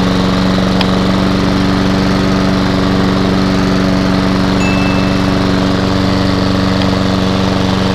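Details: Hayter lawnmower with Honda engine, first start after sitting, fuel on, no leaks: steady, even engine hum with no misses or knocks; runs normally, though the drive isn't working.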